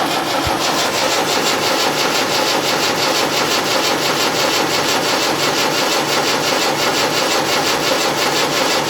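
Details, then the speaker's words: Land Rover Series 3 diesel, first start attempt after solenoid fix, all injectors loosened for bleeding: starter churns steadily but it never fires; hardly any fuel reaching the injectors, one giving nothing despite repeated bleeding. "not a lot not a lot at all i've bled it up to the up to there yet again i can't get anything out of that one"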